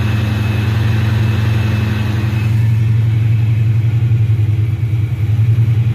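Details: Dodge Challenger SRT8 with Procharger F1A-94 supercharger, real cold start at 75 degrees after previous hard starts: strong, deep steady idle with a faint high blower whine above it, settling evenly; healthy supercharged cold start.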